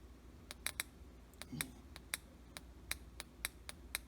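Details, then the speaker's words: 5L40E transmission solenoid valve from a 2004 Cadillac SRX with shifting problems, bench-tested on a 12 V supply: sharp crisp clicks about three a second, normal switching that redirects hydraulic pressure. "you hear that clicking back and forth that's a solenoid valve that would be redirecting the hydraulic pressure"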